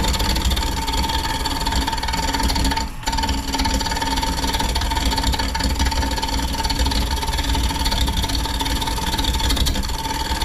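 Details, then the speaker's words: Wood bowl turning on a lathe with a dulling tool: steady even hiss of the cut, the earlier ticking from the unlevel spot gone as the bowl is trued. "So you can hear it smooth out."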